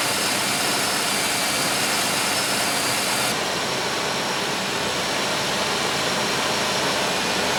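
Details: 1995 Oldsmobile 3800 V6 with 138,000 miles, first start after timing chain and timing cover leak service with fresh oil and coolant, cooling system still bleeding: smooth, even idle with steady hiss, no ticks, knocks or misses; normal idle.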